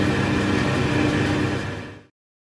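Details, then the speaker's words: Schaublin 70/102 lathe spindle after fitting new rear angular-contact bearings and adjusting end float: smooth, steady low hum, faint tone, no rumble or ticking. The noise is the drive motor in the cabinet; the spindle is extremely quiet and runs smooth. "So my machine is a little noisier, but I think this is very, very pleasing, very, very quiet, and extremely smooth running."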